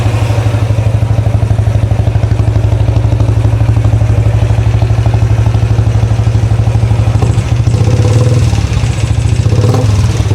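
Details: 2013 Royal Enfield Classic 500 single, first start after engine teardown (stray M5 bolts were found inside): loud, busy mechanical clatter over a deep, lumpy idle thump. Owner wonders whether it is rockers or pushrods; unconfirmed.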